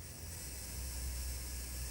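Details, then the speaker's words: Hornby T9 model locomotive after motor replacement, low power test: tiny motor whirs with a coarse, gritty hiss instead of a clean hum; runs rough, cause unclear, wheels not yet cleaned. "well it's working I can hear that motor spinning up it doesn't sound healthy I must admit but of course it works better than not so"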